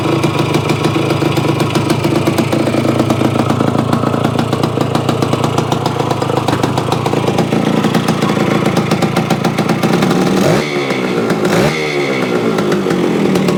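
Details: Yamaha AT-1 converted to CT-1, first start-up after rewiring, oil pump priming and carburetor fix (suspected sticky float or debris under needle), choke on, pre-mix fuel; crisp rapid two-stroke crackle at lively idle with brief blips, clean and even, normal.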